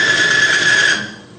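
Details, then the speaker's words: Extreme-pressure bearing test with plain diesel fuel only, at about 50 lb of load: harsh rasping with a piercing high squeal for about a second, then dying away as the metal surfaces overheat and weld together. Metal-on-metal grinding from lubrication failure. "about 50 lb of weight and it got so hot between the two metal surfaces they actually welded together"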